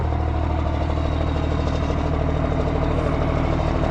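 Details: Truck after repair: deep, steady diesel rumble at even idle, no knocks or misses; healthy engine.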